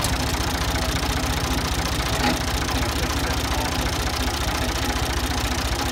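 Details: Ford 2000 diesel tractor running on Diesel Purge, smoky: steady idle with a sharp knock about twice a second over the rumble, attributed to bad injectors being cleaned.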